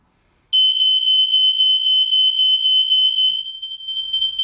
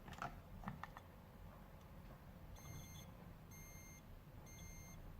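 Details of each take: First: Newly installed interlinked smoke alarm, test button pressed: loud piercing high tone warbling about four times a second, steady; alarm sounds correctly, upstairs interlinked unit also triggers slightly later. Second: can hear the faintest of alarms going off now obviously in a an emergency situation this is an ideal it's never going to wake you up in a million years in the middle of the night so we need to get it changed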